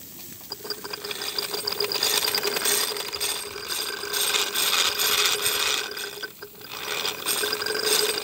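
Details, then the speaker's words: Wilesco toy steam roller, regulator slowly opened from cold, cylinder still cold: uneven, wet hissing chuffs, slow and irregular, as condensate is cleared before it settles into a run. "there will be condensation in there because i can just touch it so it will be pretty much cold let's hesitate it's wanting to go"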